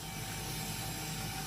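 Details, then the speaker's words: HP LaserJet P1102w after its paper pickup/feed problem was repaired, at power-on: a short, steady hum with no clicking or grinding; the noise it made earlier is gone. "if there is no problem, then see, the sound that was being made earlier is not there now"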